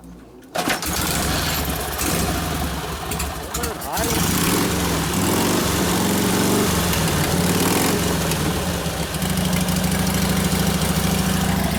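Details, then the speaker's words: 1952 Harley 74ci panhead, rebuilt top end with rings breaking in, rebuilt Linkert carb, kick-started without choke: uneven lumpy beat that stumbles when revved; throttle roll-on hesitates below about 1500–1800 rpm, mixture screw very touchy, suspected cause. "I was testing the throttle to see where it would hesitate. I had to get down to about 1500 RPM before it didn't want to take it, just rolling the throttle on like this."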